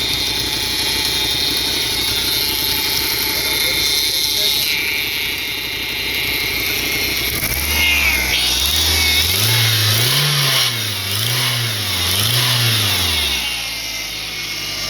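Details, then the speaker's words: 1995 Eagle Talon TSI revved in several blips: a coarse buzzing rattle rising with revs, vibration felt in the car; cause unknown, a heat shield possibly noisy and a broken balance shaft belt suspected. "You can hear that like a vibration, almost a buzzing noise. You can feel it in the car, which is what's crazy."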